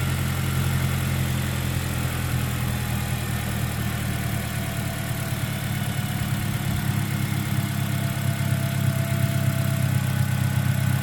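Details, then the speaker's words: 2009 Pontiac Vibe 1.8L after new alternator and new belt: steady even idle with light injector ticking and no whine from the front of the engine; original whine was from the alternator, now gone. "a lot of the noise is coming from the injectors, I'm pretty sure."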